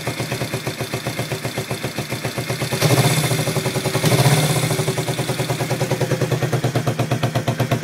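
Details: Yamaha XS400 twin idling roughly after owner's attempts to balance the carbs: lumpy, uneven idle with pulsing exhaust beat and occasional second-long surges; twin not running smoothly.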